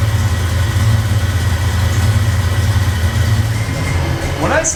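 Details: 1989 Ford Mustang GT after troubleshooting a no-crank no-start condition: engine settles into a steady low idle with even beat and no stumbling; normal idle.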